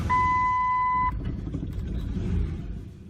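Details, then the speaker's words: 2004 Ford Explorer with recurring PATS theft light, after battery issues and clearing old corrupt keys: theft light authenticates and goes out, two-tone chime, then the engine starts and settles into a steady low idle. "Perfect. Okay. So, now that it starts, since I cleared the old corrupt keys out of the memory from all those battery issues"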